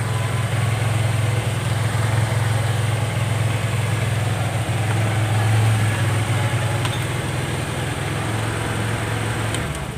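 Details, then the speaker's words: Carbureted Honda Vario 110 (Vario Techno) at idle: idle sits high and drifts up and down on its own instead of settling. Unstable, abnormal idle; automatic choke and hoses to be checked. "Oke, jadi motor ini dia kasusnya langsamnya tidak stabil, Guys. Naik sendiri, turun sendiri, besar sendiri gasnya, kecil sendiri, pokoknya enggak normal, ya."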